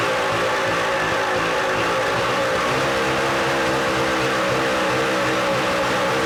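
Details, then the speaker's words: 1983 Evinrude 50 hp two-stroke outboard with lost motion in the throttle linkage, carbs awaiting new gaskets: loud, steady high-pitched buzz that won't drop to idle regardless of linkage position; idle too high, near runaway. "she'll get almost in a runaway mode as you just saw I just tried to throw outle it up and stuff but it's just not"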